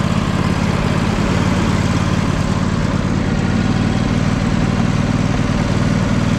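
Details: John Deere L120 lawn tractor, small single-cylinder engine after sitting, mouse nest cleared from air filter and carb cleaned, idling with a steady even thrum; starts and runs, though blades won't engage and it didn't move at first.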